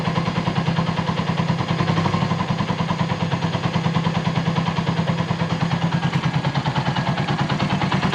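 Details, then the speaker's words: Volty motorcycle restarted after long storage once a correct battery was fitted, fuel on reserve, oil checked: steady even putter at idle with regular beat, no misses or knocks; starts and idles normally. "it turns on perfectly despite the time that has passed, the idle is fine,"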